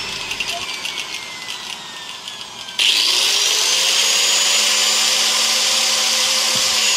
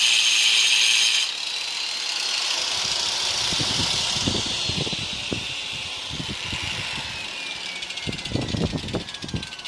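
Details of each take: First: Hand grinder fitted with a 4-inch circular saw blade, run at normal mains voltage before slowing it with a 2000 W dimmer: steady, piercing high whine that jumps louder and holds; blade spinning too fast and too loud at full speed. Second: Hand grinder with a 4-inch circular saw blade, slowed with a 2000 W dimmer, chopping wood: high whine dropping in pitch as the blade bites, with choppy bursts of cutting; the slowed grinder cuts normally.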